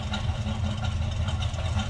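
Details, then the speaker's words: 1966 Chevrolet C10: deep choppy idle with uneven lumpy pulse several times a second from a performance cam; healthy, good-sounding truck. "as you can hear sounds like we have a little bit of a cam to it slip around actually here run good sounding truck"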